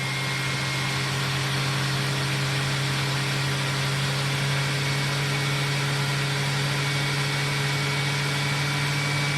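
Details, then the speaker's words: 2006 SEBO Airbelt K2 suction-only vacuum switched from low to high: steady even motor drone with low hum, airy rush and turbo brush spinning, no surging or rattles; normal operation. "Let me crank it up to high. Right, we got some airflow now, don't we? You can hear the turbo brush spinning."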